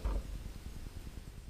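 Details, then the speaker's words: iMac (late 2009–2012) after SSD upgrade, fan control switched from auto to smart mode: only a soft low gently pulsing hum; fan speed drops almost instantly and the annoying full-speed noise is gone. "And you see the speed is lowering almost instantly, and we don't hear the annoying noise of the fan anymore. So problem solved."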